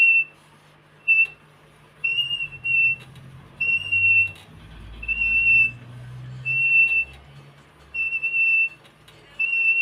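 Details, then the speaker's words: Squeal from metal rubbing on the wooden former as the coil-winding jig turns, heard while recoiling a Pioneer Premier speaker voice coil that had touched the centre pole; repeated high, thin, steady-pitched squeaks in bursts. "and that's just basically the metal rubbing on the onto the wood that's making the noise very very very annoying do apologize guys"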